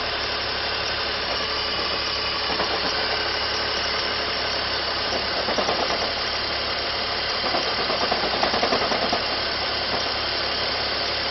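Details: BMW E46 330Ci at idle with the oil filler cap off: steady idle with a hissy, rattly tapping at the open filler; source not identified. Engine noise at idle.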